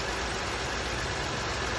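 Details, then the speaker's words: 2011 Buick Lucerne 3.9 L petrol engine idling during a PCV system check, no oil leaks seen: steady, even idle hum with constant beat, no misfires, hunting or knocks; normal idle. "okay so I've got it running uh sounds like it's idling pretty normal uh let it run for a while here"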